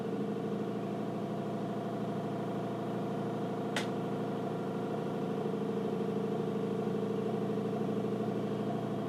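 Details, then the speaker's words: Nikon LS-8000ED film scanner scanning color slides via VueScan with autofocus set to always: steady even motor hum with soft regular stepping about two per second; normal slow scan. "and you can hear it's autofocusing again because I've chosen the autofocus to be set it always"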